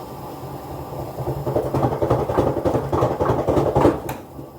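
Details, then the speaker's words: Kenmore front-load washer, old original-design unit, spin-cycle noise; the drum spins up past 400 toward 600–900 rpm. A low rumble grows into uneven heavy thumps and clunks, several per second. Rear-bearing play is heard between outer shell and drum: apparently a bad drum, broken spider arm at the rear bearing shell. "appears that washer has a bad drum as suffered from the spider arm and connection to the rear bearing shell that was approaching 600 rpms to 900 rpms at its highest approach of RPMs"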